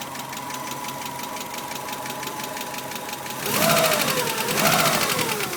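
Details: 1991 Subaru Legacy SS engine at idle: light, quick, even ticking over steady idle, seemingly from driver side, partly drowned by louder noise; owner suspects hydraulic lash adjuster, unconfirmed.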